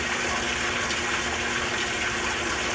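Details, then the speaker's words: Hotpoint top-load washer in service diagnostic mode, pressure test at the 4-inch fill mark: steady, even gush of water into the tub with no hum, chatter or hammering; pressure valve believed to be working, normal fill. "I believe the pressure valve's working right. It would have failed at the beginning, so let's just stop this test."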